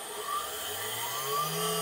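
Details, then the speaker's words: CNC machine spindle driven by a VFD, spinning up to 10,000 rpm in a noise test against the old router: smooth whir climbing in pitch, no rattle; about 62 dB versus router's 70 dB; normal spindle run. "and that certainly sounds a lot quieter that's a 62 DB the sound definitely is not as harsh as the router sound"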